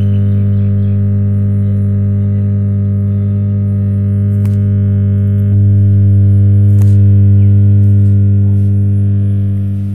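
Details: Home theater system with a humming fault: loud, steady, constant-pitch low hum from the speakers, a classic amplifier hum, cause not identified.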